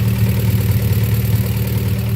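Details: Honda Prelude with junkyard H22A4 (97-98 non-Type S) swap, H23 transmission, DSM 450cc injectors, base map, H22 intake manifold, replacing original engine with bad head gasket: loud, throaty idle from open manifold, even steady pulses, no tapping; normal healthy idle.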